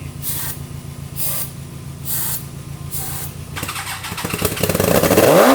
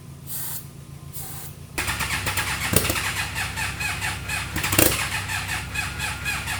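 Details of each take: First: Rebuilt 300 hp turbo GSXR engine in 6x6 mini Jeep, first start on brake cleaner with weak battery: steady cranking, then crisp even brief firing with rising revs; fresh engine sounds healthy. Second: Freshly rebuilt 300hp turbo GSXR engine in a 6x6 mini Jeep, first start, jumped from a Subaru, gear oil possibly burning in a cylinder: several short, ragged bursts that catch and fade. It fires briefly then dies, with a major battery issue.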